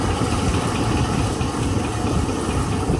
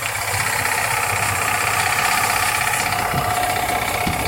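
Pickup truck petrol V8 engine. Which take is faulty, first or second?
second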